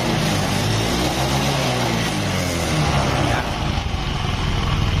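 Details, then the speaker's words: Honda Beat carburetor scooter (KVY) before engine teardown, kick started: harsh, ragged running with a dry, rattly edge and heavy smoke; oil cap check showed no oil, cause suspected but not confirmed. "Saat dinyalakan kok ini suaranya gersang, agak listrik lagi ya. Sebelumnya nggak ada ngebul, nggak ada."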